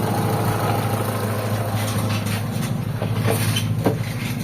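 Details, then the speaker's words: Mitsubishi Lancer GLXi after valve clearance, sensor calibration and a swapped distributor, previously stuck around 1200 rpm and dropping with AC: the idle settles back to an even 750 rpm without hunting. A normal idle. "Ayan bumabalik na siya sa normal. Ayan, normal idle mga bossing. 750 RPM."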